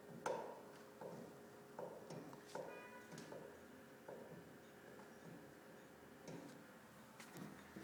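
Quiet room with sharp knocks roughly every second or two, slightly uneven; pipe banging, cause not clear.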